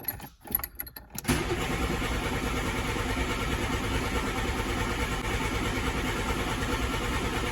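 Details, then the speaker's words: 1988 VW Polo MK2 Breadvan, just-refitted cleaned carburettor: after a click the starter churns steadily about three turns a second without catching; carb emptied during cleaning, fuel not yet pumped up, crank no start. "Carburetor was empty because I cleaned everything out on it, so it's going to take a while."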